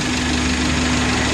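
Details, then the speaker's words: Idling car engine with a rough, loud bubbling knock under a steady hum; coolant boils, overflows the reservoir despite new cap, lower radiator hose hot while upper stays cold; warning light off; suspected stuck-shut thermostat or weak water pump. "tapi di tangki cadangan di sini keluar air ya mendidih panas dan EE suara dari dalam radiator ini dan selang seperti air mendidih tidak bisa keluar ya jedak jedak jedak gitu keras"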